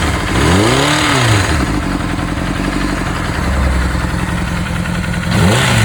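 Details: Honda CBR600RR PC37 with new cam chain and new pistons and rings, oil pressure good: revving up and down with an odd, uneven mechanical clatter over the exhaust at idle and under revs; source unclear.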